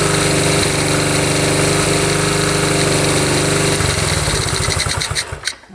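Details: 1972 Honda CT70 single, bought at auction with a bogging problem, putters evenly at idle, pitch climbing smoothly with throttle and falling back, after timing was set with a timing light, F mark centred: normal running.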